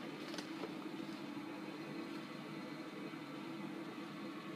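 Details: 2013 Carrier Infinity Series furnace, starting up: steady even hum with low drone and soft airflow, no knocks or rattles; running normally.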